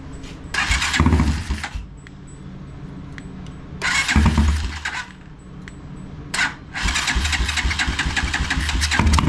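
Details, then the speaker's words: Motorcycle after tapping the carburetor needle and seat to free fuel flow: small single catches and revs only in throttle bursts, sagging and nearly dying between. Runs only with throttle held open; the carburetor fuel-air mixture may need adjusting. "well it seems as though we're only getting enough fuel for when I hold the throttle open"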